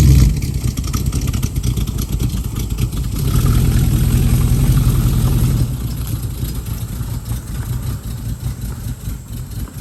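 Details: 1969 Mustang V8 that sat 15 years, test drive after new exhaust and tips installed: deep, lumpy burble pulling away, steady low rumble with no knocks or misses; healthy exhaust note.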